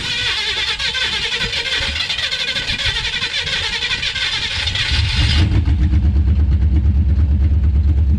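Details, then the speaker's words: Chevy V8 on open headers, newly bought project car: after a loud noisy stretch it fires and settles into a deep, loud, even rumble. Normal start and idle. "so I almost forgot I gotta start this up for you guys so you can hear this this thing is a monster of course it's a open header yeah so I'm gonna start her up"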